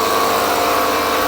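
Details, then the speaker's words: Small 12V compressor hooked to the 1969 VW Bug's battery, air coming out of both lines during a leak test: steady, constant mid-pitch buzzing drone with no load change; nylon hose not leaking, old air shocks to blame. "So this is where you're gonna hear the air compressor change. And basically what I'm going to go ahead and do is see if I can hear any air escaping out, which I don't."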